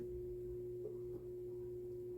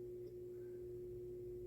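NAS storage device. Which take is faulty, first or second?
first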